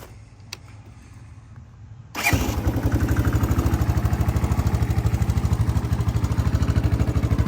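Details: 1984 Honda ATC 200ES Big Red three-wheeler after 20+ years sitting, carburetor and gas tank cleaned, electrics repaired: quiet, then the single catches and settles into an even, steady low thump with no misses; normal idle.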